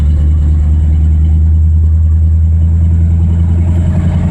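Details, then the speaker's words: 1984 Mazda RX-7 with swapped Ford V8 after carb rebuild: deep steady V8 burble holding an even idle without stumbling; oil diluted by fuel from sticking needle and seat. "Sweet, we got an idle. Got a lot of gas in the oil from the needle and seat sticking, so it's probably pretty darn thin. But it's running, so that's a step in the right direction."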